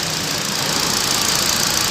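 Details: 2012 Hyundai i20 petrol after alternator and AC compressor bearing replacement, idling steadily, heard from outside with a light hiss, no rumble or whirring; the engine sounds healthy.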